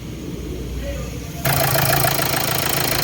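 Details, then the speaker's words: 2014 Hyundai Santa Fe CRDi diesel after replacing timing chain components to cure knocking; starts and settles into steady, even idle with usual injector clatter, knocking gone: normal diesel idle. "Guys, so nag-normal na siya. So normal na yung andar niya. Hindi na siya malagatak dito."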